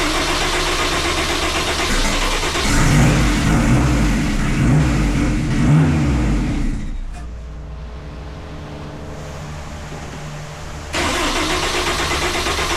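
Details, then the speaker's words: 1974 Alfa Romeo GTV with swapped Honda S2000 engine, first start after sensor checks and e-throttle calibration: engine fires, then revs straight to about 3,000 rpm and holds hard against an apparent fuel cut before dropping; idle calibration is off, so it was shut down quickly. "everything fired up as you can hear, everything's great, but it does uh rev straight to 3,000 RPMs and hits some sort of fuel cut and, you know, and basically I shut it down very quickly after that."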